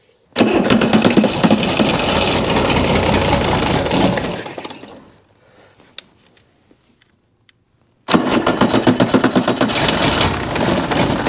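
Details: Chrysler diesel (rebranded Mitsubishi 6DS70 marine six), barn-stored for years, after re-bleeding the injectors until fuel reached the sixth: fires, settles into an even steady run, cuts out, restarts and runs cleanly with no knocks or misses.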